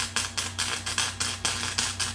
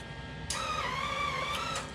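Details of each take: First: Harbor Freight Flux 125 flux-core welder with wire speed set too low for the steel thickness: a choppy, popping arc sputtering about four times a second over a low hum instead of a steady sizzling-bacon sound. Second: Harbor Freight Flux 125 flux-core welder, gun aimed at the floor with trigger pulled: steady mid-pitched feeder motor whir starting suddenly and running evenly, wire pushed out and bending, drive roll tension good.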